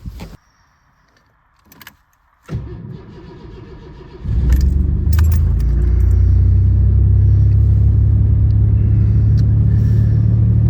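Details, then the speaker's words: 1986 Mercury Cougar 3.8L V6 with throttle-body fuel injection on an ultra cold winter start. Crank, then a steady, elevated low rumble as the choke raises the RPM to a fast idle while warming up; the service light is on, cause unknown. "So while we let it warm up a little bit, you can hear the choke is boosted up the RPMs."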